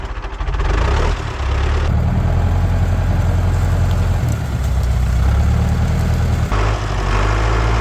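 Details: International 125E power-shift track loader diesel, sat about 10 years; deep steady diesel clatter at idle with even firing, no heavy knocks; normal running.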